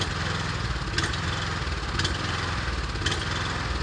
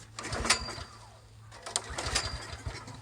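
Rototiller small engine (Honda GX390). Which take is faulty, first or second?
first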